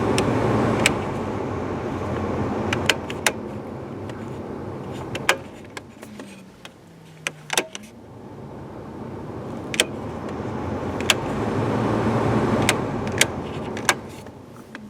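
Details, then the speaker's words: Third-gen Camaro heater/AC blower after replacing the dash control switch, stepped through the speeds to high: a steady airy fan rush swells and settles, with switch clicks. Blower runs smoothly at full speed. "there's the one that wasn't working and it's doing fine and there's High it goes all the way into"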